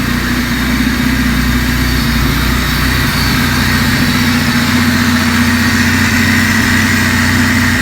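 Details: Honda Civic first start-up after a machine-shop cylinder head rebuild and intake and exhaust valve lash adjustment: steady, even idle with a low firm hum and no knock or tick standing out.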